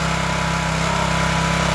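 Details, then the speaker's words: Craftsman pressure washer small single-cylinder engine after carburetor cleaning (clogged emulsion tube had made it run only on choke): started on choke, then holds smooth even idle off choke, no surging or misses; normal idle. "so let's fire it up and see if it'll run off of Choke like it's supposed to now let's give it throttle we're gonna start it on choke started it on choke so sweet"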